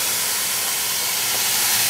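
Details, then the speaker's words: Gas meter valve with its lock nut loosened and valve opened during gas appliance installation: steady, sharp hiss with no other noise, gas escaping from the loosened fitting until the nut is retightened; natural gas leak. "I think that's bad. You can hear the gas escaping."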